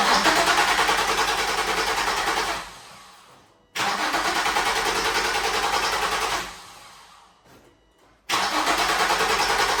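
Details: 2004 Nissan 350Z: engine catches quickly and holds an even idle between brief cut-offs, no stumbling or surging; normal start and idle.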